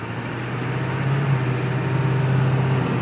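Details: 1999 Ford F250 7.3L diesel, 155k miles, Banks Six-Gun tuner on setting six, aftermarket turbo, intake, exhaust; deep idle with uneven loping beat while slowing; rough idle, suspected burnt valve cover gasket wiring harness, not confirmed.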